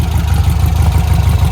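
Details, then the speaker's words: 1957 VW Oval, freshly built 1800cc air-cooled flat-four after an engine swap and swing-axle conversion, back from a drive with carburetors working well. Deep, even idle with a steady rapid pulse and no knocks or ticks; running well. "Pues está sonando muy bien, está corriendo bien."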